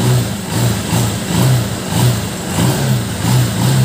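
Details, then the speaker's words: Honda TMX 125 Alpha single-cylinder motorcycle, now fully warmed up after a cold start, starts easily and revs cleanly on throttle blips, settling back without dying. When cold it stalls on throttle because of contaminated fuel and moisture in the carburetor. "So, ngayon, napandar ko na siya kanina. Uminit na. So, ganito na yung andar niya. Madali siya nabuhay."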